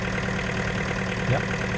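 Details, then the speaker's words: Takeuchi TB260 mini excavator with Yanmar 4TNV diesel, at low idle after a new electric fuel pump was fitted for bogging under load: steady, even, smooth idle with no misses or knocks. "We're on low idle idling."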